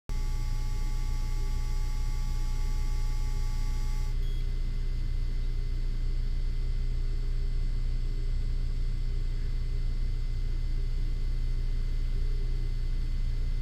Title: Buzz noise on CGO3 on yuneec 4k